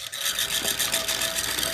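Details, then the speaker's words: Chicago Electric dual-drum rotary rock tumbler after about 30 hours of running, with the side panel open: harsh, hissy rasp pulsing with rotation over a constant motor hum, coming mostly from the V-belt and pulley area. "look like the majority of the noise is coming coming from this area and I don't know what you're going to do to to help that"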